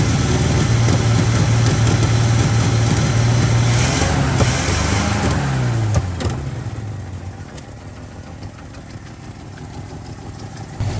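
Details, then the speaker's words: 1979 Chevy C-10 half-ton pickup with inline six, left sitting 8 years in a tow lot, on first restart: a deep, lumpy idle with a cylinder dropping in and out and rpm sagging near stalling; misfire, owner suspects a fouled spark plug. "It seems to have a cylinder that's coming in and out, so I imagine that there's a fouled out spark plug in there somewhere."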